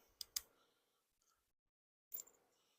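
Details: Terra-jet chassis engine not run since the 1980s, fitted with new carb, good battery and new spark plugs, turned by the key: two sharp clicks, a pause, one more click, no cranking; the starter clicks but won't turn the engine.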